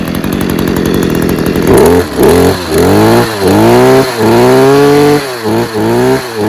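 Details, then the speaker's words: Stihl KM94RC combi two-stroke after an engine refurb, cold start on choke and primer, revved gently to run in new piston rings: rough idle, then crisp, even blips; running well, main problem thought to be in the carb. "running well sounds good um i think the main problem was actually in the carb"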